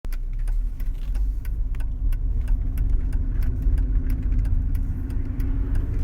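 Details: Mercedes CLK 320 V6 at idle: uneven low grumble with irregular stumbles in the firing beat; engine misfire caused by mis-gapped spark plugs and misfiring coil packs.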